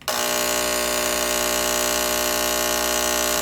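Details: Bathroom fan exhaust timer switch making a loud, harsh, steady electrical buzz that starts and stops abruptly; the old switch started buzzing and needed replacing.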